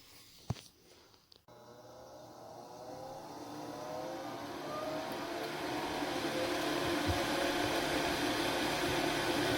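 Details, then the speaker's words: New inducer/exhaust vent motor on a 2007 Lennox furnace (12W47), just after replacement. It spins up to a smooth, even hum with no rattle, scrape or bearing noise, and the old noise is gone. "and quiet no more sound this is excellent so I think this was a successful job"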